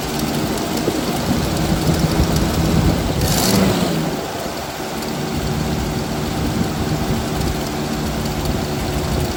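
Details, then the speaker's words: 1979 Jeep CJ5 engine, sitting since 2019, fed fresh fuel from a separate tank to the mechanical pump: uneven, lumpy idle with a brief stumble and dip. The carburetor is sucking air and leaking fuel at its side and needs a rebuild kit. "I think we're fighting a carburetor here so I need to get a rebuild build kit for this but it's obviously sucking air and leaking fuel"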